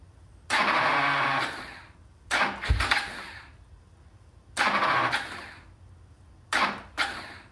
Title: KTM 690 hard start